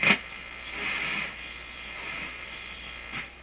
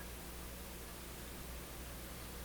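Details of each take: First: Polish Goplana tube radio, repaired and running on a low 96 V B+ supply. Quiet hiss with sharp scratchy crackles every second or two at one spot on the dial while tuning; owner suspects a scratch or rub in the tuning capacitor. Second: Polish Goplana tube radio being repaired after a no-output fault, heard after a tube swap: even, steady static hiss with a low hum underneath and no crackle or dropouts; the receiver sounds healthy with the good tube.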